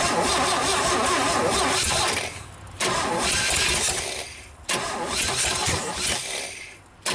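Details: GMC 305 V6, first start in years, vacuum advance port plugged: engine cranks and catches in loud bursts, then sags and dies each time; ignition timing appears out.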